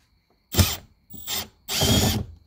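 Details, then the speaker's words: Drill removing door panel screws on 1997-2002 Camaro: three short rattling bursts with jumping chattering edge; bit skipping in screw head, risks stripping. "yeah i don't like that noise when you hear that jumping noise that's skipping noise you'll end up stripping this screws"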